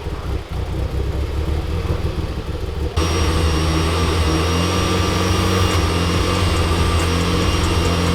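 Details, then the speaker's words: A Mitsubishi Evo IX starts and idles with a thin, steady whistle over the rumble. A loose intake manifold bolt caused a vacuum leak, confirmed when brake cleaner sprayed at the gasket raised the rpm. "That whistling noise that you guys heard was my intake manifold. One of the bolts was pretty damn loose,"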